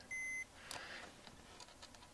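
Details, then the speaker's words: Mission 775 turntable after tonearm rewiring repair: continuity check of left and right signal and ground wires gives one short, clean high meter beep on the ground, confirming a good ground connection. "I always want to check these for continuity uh left signal good right signal good right and left ground left ground right ground"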